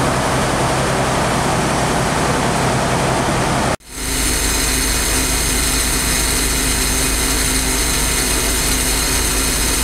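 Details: J. G. Brill gasoline motor car 120 on an interurban line, running again after some work: steady, even engine run after a brief cut, smooth low rumble with no knocks or misses. Normal running.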